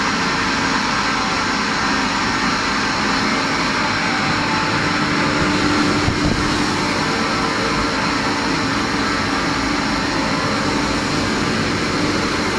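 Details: Kaeser ASK 35 screw compressor, built 2013, fully serviced, 3,000 hours, up to 11 bar into a 1,000-litre receiver: steady even hum, constant mid tone and airy hiss, no knocks or rattles; running healthy under load.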